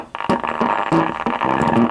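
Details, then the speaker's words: Car active subwoofer amplifier played through a test speaker: rough, buzzy, crackly distortion on every note; the output transistors (type 4138) are suspected. "nah ini mesinnya suaranya cacat teman kalau didengarkan saya ada speaker di sini dan kita akan coba suaranya tuh"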